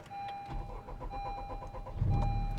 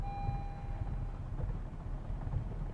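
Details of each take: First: 2021 Honda Civic Type R Limited Edition (FK8) with a JDi Ghost Lock fuel-cut anti-theft device, after the remote unlock signal restores fuel pump and rail pressure: brief crank, then a smooth, steady idle with no stumble; normal restart. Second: 2021 Honda Civic Type R, running: an anti-theft relay cuts the fuel pump, so the engine sputters, runs rough and stalls as fuel runs out. It sets a low fuel pressure code, and pressing the pedal gives no acceleration.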